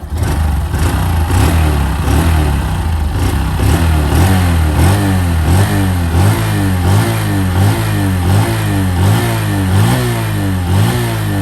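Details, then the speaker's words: New 2023 Honda Wave 125i engine blipped repeatedly, pitch rising and falling about once a second, smooth with no knock or rattle; normal revving, quiet engine. "หลายๆท่านกลัวกังวลนะว่าเครื่องมันจะดังเหมือนกันหรือเปล่านะครับถือว่าเงียบมากนะเพื่อนฟังเสียงอะไรแบบถือว่าเงียบมากนะครับเพื่อนๆนิ่งๆเลยนะครับ"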